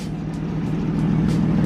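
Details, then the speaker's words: BMW E36 M3 project car just started after sitting: light, quick ticking over a steady idle hum; owner calls it a valve tick, source unconfirmed. "This thing has a mad valve tick. I don't know if you guys can hear that, but I need to get that thing fixed."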